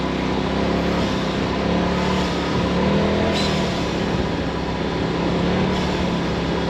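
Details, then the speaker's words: Polaris RZR XP Turbo running at 180°F, with 3.5 quarts of oil: a steady, strong engine drone under way with no knocks, rattles or grinding; normal running. "Sounds like it's running real good."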